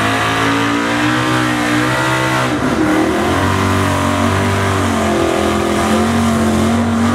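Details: Chevy pulling truck V8 with carburetor laboring under heavy pull load, note wavering and stumbling: misfire from fuel starvation after the snap ring came out of the fuel pump's internal pressure regulator, returning fuel to the tank.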